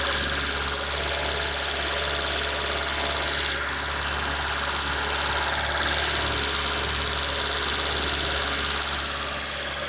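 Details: Honda Civic EU8 (5-door EP2) with D16V1 engine and D16Y8 intake conversion, cold engine at idle: steady airy vacuum-leak hiss, leak found around the throttle body gasket.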